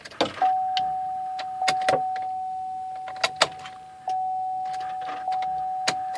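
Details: 2004 GMC Yukon Denali no-crank, no-start: steady warning chime with only scattered dry clicks as the key is tried, no starter spin; truck only cranks after several attempts.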